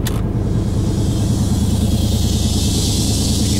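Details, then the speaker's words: 1990 Chevy Silverado K1500, 350 V8, 241,000 miles, worn-out exhaust, factory Harrison R-4 A/C compressor used as on-board air: idle sags slightly as the clutch engages, then holds even while filling a 10-gallon tank. "the air in back running into the tank you can see the air conditioning clutches on pumping up my 10 gallon tank right now"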